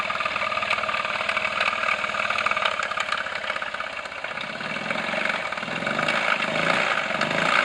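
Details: Honda Zoomer (Ruckus) 49.9cc scooter idling with a fast uneven ticking knock, about four a second. It became noticeable after the stock exhaust replaced a Polini, and the bike lost power and died. Idle can be stopped by holding the crankshaft; big end suspected, unconfirmed.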